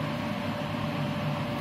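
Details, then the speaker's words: Haas TM1 CNC mill spindle running after drive belt replacement and re-tensioning, with its loud spindle fan; smooth even hum, steady fan air noise, no rattles or belt slap, sounding as it used to, though untested cutting metal. "But actually, now that's running with the spindle on, it sounds like it used to."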